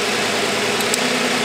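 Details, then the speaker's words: Six-cylinder car at idle after the number four ignition coil pack harness is unplugged in a power balance test: idle drops lower and runs slightly uneven, one cylinder dead, running on five of six. "this is number four and you hear a reduction in the RPMs now the car is running on 5 out of 6"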